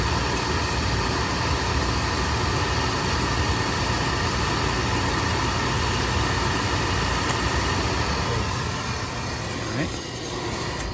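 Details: Oil-fired boiler burner after an oil delivery: steady motor-and-pump whir with no ignition roar, so the burner runs without lighting. Air or debris in the oil line is suspected; bleeding the line and cleaning the filters are planned.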